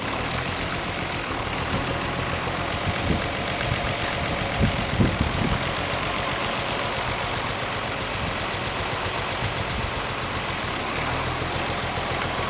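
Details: Unrestored 1955 Allis-Chalmers WD-45 diesel tractor on a warm summer day, being driven around: even diesel clatter at a steady beat while moving, no knocks or misses; normal healthy running.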